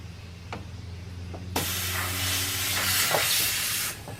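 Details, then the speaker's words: Boost leak test on aftermarket eBay intercooler piping: while the system is aired up, a steady loud hiss starts abruptly and holds about two seconds as air escapes from a flaw in the piping; soapy water spray confirms the leak. "all right so right away I found a problem with our ebay intercooler piping"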